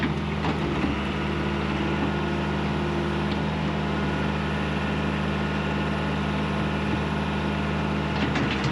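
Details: John Deere 190E excavator diesel with 7,706 hours on the meter, manual throttle just adjusted: a steady, even drone with a constant low hum and no knocks or misses, running smoothly and healthy.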